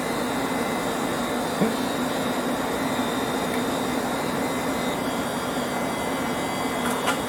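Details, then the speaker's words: 1970s Centurion minicomputer Hawk 10MB hard drive after start-stop pressed: brushes sweeping, platters spinning up with a loud steady jet-like rush, held mid whine and high tone; normal spin-up. "The brushes are coming out here. They're sweeping. I can hear it spinning up. It's not quiet."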